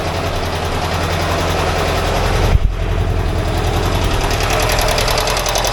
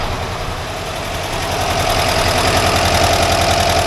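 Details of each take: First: 1982 air-cooled VW Vanagon Westfalia engine at idle during a tune-up: fast, busy valve-train tapping, about three or four ticks a second, with one side noisier than the other. Owner calls it normal VW noise; a valve adjustment later quietened the clatter. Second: 1982 air-cooled VW Vanagon Westfalia after valve adjustment, warm idle: crisp, even ticking about three and a half per second over the engine, one side noisier than the other; normal valve tick.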